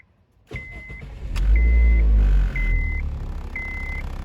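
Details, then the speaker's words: Honda Civic Hybrid IMA with intermittent stalling and no charging, battery at 12.3 V: key-on chime repeats while engine cranks with a delay before starting, D flashing on cluster, then settles into rough low idle; slow start. "that was kind of interesting I went to crank the engine over and there was a delay before the engine actually started"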